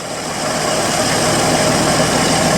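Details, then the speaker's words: 1964 Chevy II V8, first start with the carb float filled and bottle-fed fuel: steady, even idle with no knocks or misses standing out; runs fine. "okay this thing runs good it's gonna really give the flow into once over"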